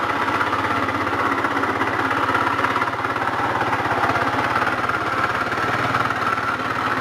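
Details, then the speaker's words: GY6 air-cooled four-stroke scooter at idle: a loud, busy, rattling idle with a fast rapping knock under the engine note that follows the revs; this turned out to be a worn connecting rod big end bearing. "she's running now and it's just very noisy it's weird it's not like a specific noise you know this is general like a credible engine noise it's really loud"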